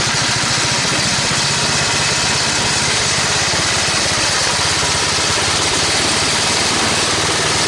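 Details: Toro 824 snowblower engine after carburetor replacement (previously stalled, hard to start, suspected sticking floats): loud steady drone with even firing rhythm, no surging or stumbling, runs in all gears with auger without stalling; normal running.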